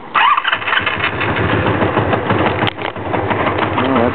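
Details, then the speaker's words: 1984 Honda Magna V65, very hard starting: catches, then runs lumpy and uneven at fast idle, hunting and stumbling, only staying running on full choke, won't take throttle; a vent tube spits fuel once warm. "That's how she wants to run until she starts spitting out a gas."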